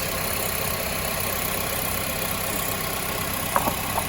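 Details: 2006 Honda Accord (same for 2003–2007) idling normally after a quick fix for a no-crank, no-start caused by a blown fuse from reversed jump-start cables (part 38231-SDA-A01): even idle hum under background hiss, no misses or knocks, a couple of small clicks.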